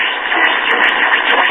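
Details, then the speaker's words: Circa-1938 RCA Victor model 94BT1 battery tombstone radio at night on outdoor antenna receiving stronger DX stations; steady rushing static with faint constant whistle — oscillation, cause still unknown. "and you see what's taking place we're getting some stronger dx stations and a lot of [Applause] a lot of oscillation going on here"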